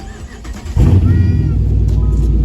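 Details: Dodge Mopar (Charger/Challenger/300C type) started after a hidden kill switch install: the starter catches within a second into a strong even rumble with a firm rev over music, a normal healthy start working like factory.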